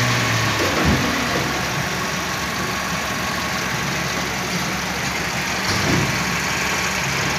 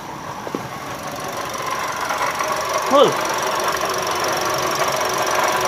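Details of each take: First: Toyota Calya/Daihatsu Sigra at idle: steady, even idle with smooth low rumble and no knocks or ticks; engine sounds healthy. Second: Toyota Calya/Daihatsu Sigra engine running, customer complaint of rough noise in engine bay: steady gritty whirr; inspection found faulty water pump, fixed by replacing water pump assembly; water pump bearing noise.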